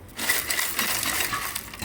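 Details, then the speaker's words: VW Transporter T4 campervan whose faulty new rotor button caused misfires and a big backfire: the converter shaken like maracas gives loose bright rattling and clinking; the ceramic core has melted and broken up inside. "I bet there's nothing left up inside that can here. Ugh. Yucky. No wonder everything melted and broke."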